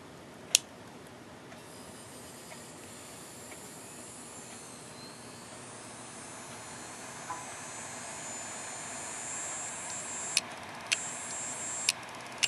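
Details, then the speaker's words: Hard drive making sharp isolated clicks over a soft airy hiss, a much worse sign than buzzing: the heads are likely damaged, and the platters and data possibly too. "this noise is bad okay if you have a clicking noise chances are your heads are damaged if your heads are damaged chances are your platters are damaged"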